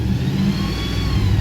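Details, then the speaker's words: Running 2014 Ford F250 Super Duty at 107,855 miles during pre-purchase inspection: faint thin whine from under the vehicle over steady engine rumble, source unknown. "there's like this whining noise coming from under the vehicle here not sure where that's coming from"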